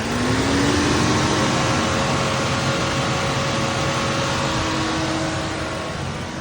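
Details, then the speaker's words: Chevy Cruze with the coolant temperature sensor reading -40; cooling fans roar at full speed nonstop over the idle and the AC is shut off for high temperature; symptom of a bad coolant sensor. "what you're going to see is going to say the AC is completely off and the fans are going to be blaring full blast"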